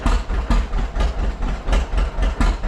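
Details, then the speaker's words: 1935 John Deere A tractor started after 37 years sitting, idling better after running a while: slow heavy two-cylinder idle with sharp uneven unmuffled exhaust pops; muffler is shot, sounds like a straight pipe. "that muffler is shot so it sounds like it's got a straight pipe on it"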